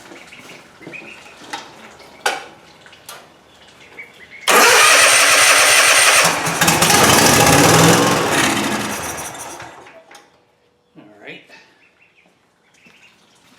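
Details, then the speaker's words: Cub Cadet Ultima ZT2 zero-turn mower with new carburetor and dry fuel system, started on starting fluid: cranks, catches loudly a few seconds then fades and dies; no fuel delivery, fuel pump suspected despite earlier testing. "Oh yeah, I don't know why it's not getting fuel. I verified the functionality of this pump. It was working."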